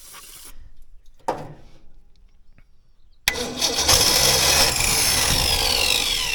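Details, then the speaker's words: 1964 Ford Ranchero with points and condenser ignition, first start attempt: after a quiet spell the engine catches with a rough, rising roar, then stalls, likely starved of fuel; owner also found leaves and debris in it. "W yeah sounds like it's going to work let me see if I can make it run longer I need fuel"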